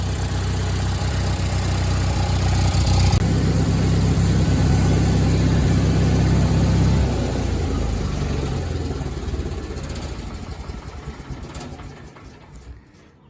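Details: Miller Bobcat 225G welder-generator, idle for years, after starter solenoid, ignition pickup, alternator and fuel pump work and an oil and fuel line change: deep, even drone without stumbles, winding down smoothly at shutoff; generating fine, idle possibly low, slow to warm.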